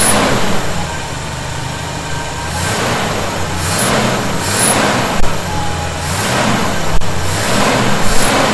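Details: 1971 Chevy C10 V8, cold idle after snugging up loose bolts (not cranked down hard) that were suspected of causing a noise: steady low rumble, even beat, no whistle or hiss; owner thinks tightening may have fixed it; normal idle.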